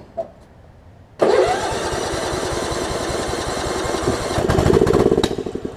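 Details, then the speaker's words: Craftsman LT1750 Limited Edition lawn tractor with Kohler engine from a mouse-nested mower, air filter off and fuel line leaking: starts after a short crank, then stays at low speed, rising only briefly; won't throttle up, cause suspected, not confirmed. "Hey so yeah it uh I think cuz I we've got a fuel leak right here that's just a fuel line I'm not really concerned about that didn't want to throttle up"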